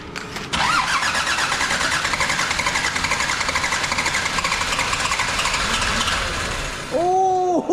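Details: Land Rover Defender TD5 diesel, first start after a new galvanised chassis and new clutch, fuel pump primed, given a little throttle; short crank, then catches cleanly and settles into a steady, even diesel clatter; starts and runs normally.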